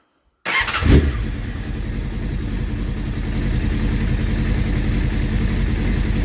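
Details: Honda CBR600F3 inline-four with carburetors after jet cleaning, choke just off, not fully warm, idle set toward 1200 rpm spec: uneven, lumpy idle; owner suspects carburetor synchronization is needed; rough idle.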